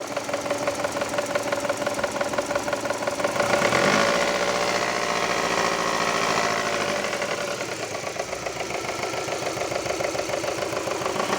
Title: Стучит двигатель Субару Импреза